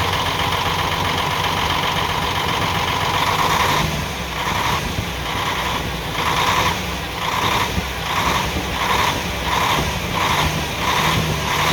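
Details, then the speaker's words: UD CK450 truck, Nissan PF6 six-cylinder diesel idling with an uneven, lumpy beat and a regular dip in firing. The No. 5 injection pump plunger delivers no fuel, leaving one cylinder dead; the misfire also causes power loss and stalling. "ये वाली जो है 5 नंबर जो इसका प्लंजर है, इस तरफ से डीज़ल नहीं आ रहा। तो जब 5 नंबर प्लंजर की तरफ से डीज़ल नहीं आएगा तो आप समझ जाएं जो ये 6 सिलेंडर इंजन है, 6 सिलेंडर में से एक सिलेंडर काम नहीं कर रहा, 5 सिलेंडर काम कर रहे हैं।"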